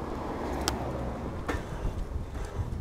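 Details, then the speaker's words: Lectric XP Trike braking: a couple of sharp, hard clunks from the left side of the rear axle as brakes bite, over road and wind noise; cause unknown. "one thing with the XP and I can't figure out what it is but you get a really hard clunk uh on the back end when you apply those brakes"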